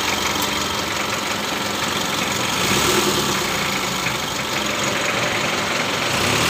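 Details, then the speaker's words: Mitsubishi L300 diesel at idle after adjusting injection pump timing to cure white exhaust smoke from incomplete combustion; smooth even clatter with no sharp knock; white smoke gone. "Alhamdulillah ya untuk asap putih yang hilang untuk suara Ngetiknya nih tidak ada yah"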